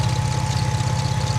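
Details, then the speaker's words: Lexus IS200 at idle during oil change: steady low idle thrum with a thin constant whine on top; clutch ruled out, owner suspects a poorly tightened timing belt, unconfirmed. "Oh, wait. No, that timing belt. They're just poorly tightened."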